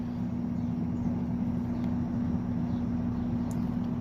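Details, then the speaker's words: Vintage Edison infinite-speed box fan model 204016 turned down the dial, drawing 49 watts, 1.12 amps: steady low hum with a constant tone, no rattles or scraping; motor running smoothly and normally. "showing 49 watts and 1.12 amps. And you can kind of hear the fan humming."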